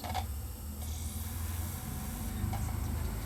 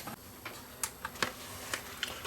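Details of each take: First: You can see the laser reading away here, and it's going to play. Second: Sony BDP-S350 Blu-ray player that plays no discs makes quiet, irregular clicks and ticks as the drive keeps seeking on a disc without settling; it cannot read it, red laser suspected.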